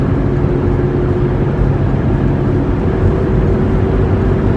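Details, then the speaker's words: 1998 Ford Expedition while driving: a light, steady, low droning roar from the driver's side front end that grows louder with speed. The owner suspects a worn front wheel hub assembly and plans to replace both hubs. "It's just a light roar, kind of just coming from this driver's side front end."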